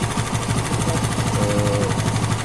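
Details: TVS Apache RTR 160 2V single-cylinder motorcycle engine at idle: fast, steady tik-tik ticking over a busy idle; top-end tick, cause not yet found, engine opened for repair.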